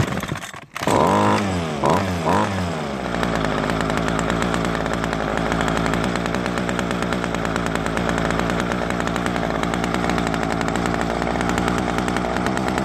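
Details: Ryobi two-stroke string trimmer after replacing the broken primer bulb and servicing the carburetor, following years of storage: a few sputtering pull-starts, then it catches and settles into a steady, even buzz with no misses. Runs healthy.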